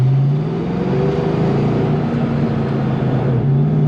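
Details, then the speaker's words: 1992 Ford Mustang GT 5.0: engine holds a steady high rev with no drop toward idle after the gas is released; the pedal feels sticky, squeaks at the top and gets stuck, and the owner suspects the throttle cable, not confirmed. "So it's all the way in right now. See how it's getting stuck there? I don't know. So maybe it's the actual cable."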